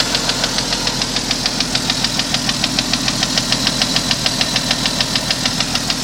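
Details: 1992 Jeep Cherokee idling steadily with a light, even, strange ticking several times a second.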